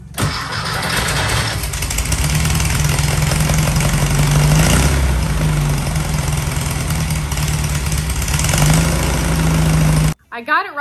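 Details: 1968 VW Baja Beetle after wiring fixes, starter repair and key-cylinder terminal cleaning: engine catches and settles into steady, even flat-four idle with deep rhythmic beat, no misses or knocks, before carb and timing tuning. Normal running.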